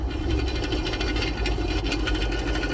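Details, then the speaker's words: Honda Civic EJ9 with a VTEC swap had a grumble when the clutch was released. A new clutch didn't fix it. The gearbox input shaft bearing, spun by hand on the bench, gives a gritty, crackling, rough rumble and is believed to be the cause. "sounds a bit rough. Now, believe it or not, folks, I believe this is what the issue was the whole time."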